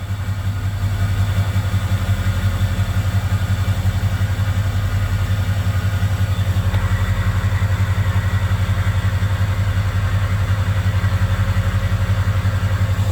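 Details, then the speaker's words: 2003 Ford 6.0 Powerstroke diesel V8 at idle, oil temp 70°, ICP 0.23, IPR 14.8%, FICM 44–48 V: deep uneven lope, stumbling about three times a second; misfire with no codes or check engine light; owner suspects weak FICM, plans replacement. "it's misfiring for sure so I've got 44 on my thicken I know my ficum is getting really weak so I'm probably just going to replace it and see if it goes away but it's definitely misfiring but it doesn't trigger a check engine light there's no codes"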